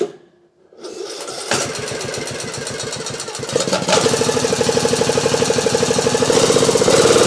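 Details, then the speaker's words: Craftsman YT 3000 lawn mower (cam previously replaced, Nikki carburetor, needs full choke and a little throttle to start): the engine catches after about a second and settles into an even, steady run with no knocks or misses; running normally. "well seems to be running all right now"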